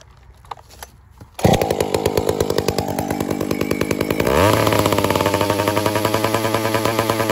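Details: Piped Dolmar 7900P chainsaw at light throttle: revs rise and pulse unevenly, bucking about three times a second, sounding starved; owner first suspected a carb kit needed, found lean from an air leak, fixed without opening the carb.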